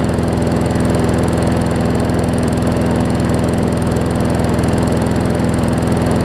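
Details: Newer Murray push mower just after new carb diaphragms: even, smooth single-cylinder chug clearly below working speed; runs fine but slow, throttle/governor spring (a bit too long) needs setting.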